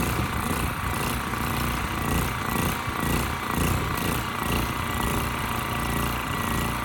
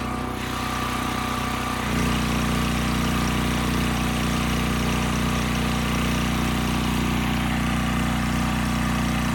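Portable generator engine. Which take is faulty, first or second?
first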